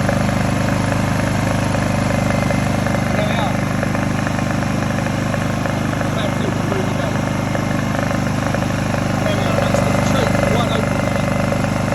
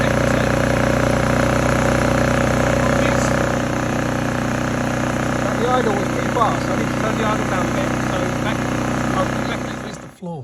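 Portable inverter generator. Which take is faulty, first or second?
second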